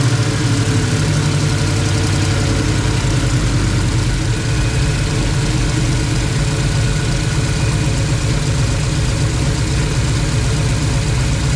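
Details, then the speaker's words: Rat rod wrecker V8 fired up after reinstalling the distributor and valvetrain work: smooth, even idle with a steady low rumble and no ticking from the top end; valvetrain sounds quiet and normal. "sounds pretty quiet yeah now I've got oil all over everything I gotta clean it so it'll seal but it sounds good"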